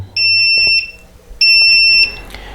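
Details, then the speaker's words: Upair One 2K drone transmitter powered by an undersized 2200 mAh 3-cell 11.1 V battery: repeated high-pitched beeps about every 1.25 seconds, its low-battery warning. "the transmitter is beeping it's letting you know that the battery is low and you need to change it"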